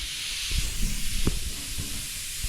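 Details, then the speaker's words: 1968 Ford pickup, 360 FE: air at about 80 psi blown through the fuel tank pickup tube gives a steady rough hiss with only weak puffs of flow. The whole tube is clogged with bad old gas. "there's a whole key yes whole tube is clogged up with whatever that bad gas is"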